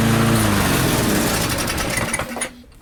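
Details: Barn-find Murray push mower, Briggs & Stratton single, on the bench after governor spring adjustment, air filter off, targeting about 3400 RPM: steady, fairly high buzz, then cuts off cleanly and winds down fast as the engine brake works; normal running.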